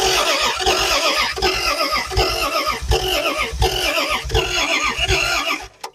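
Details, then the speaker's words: Car revived after 40 years, distributor possibly a tooth off: starter churns unevenly but the engine never fires, because the ignition wasn't hooked up. "it helps if you hook up the ignition"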